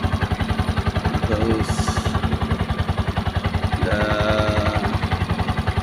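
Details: Brand-new Piaggio Ape 200cc, long stored, hard starting; after cleaning the dirty fuel tank and injector and jump-starting the low battery: single-cylinder idle with even low thumps about 3.5 per second, settling steady, normal.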